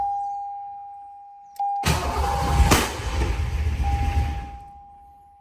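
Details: 1986 Foxbody after throttle body swap and intake bolt repair: cranks, catches with rough uneven running for a couple of seconds, then dies; owner suspects new throttle body lacking drilled hole needs more fuel.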